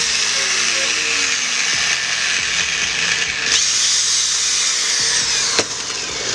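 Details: Angle grinder after bearing and switch replacement: high, steady whir at even speed with no rumble or rattle under background music; running smoothly after repair.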